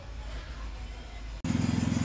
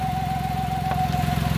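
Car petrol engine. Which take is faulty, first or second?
second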